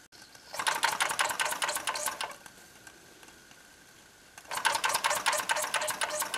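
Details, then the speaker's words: Small repaired steam engine, piston freed after an acetone soak, water boiler heated by three methylated-spirit burner wicks, gives fast, light, even puffing ticks in two bursts with a short gap; running freely and healthy. "Et voilà, notre machine est partie."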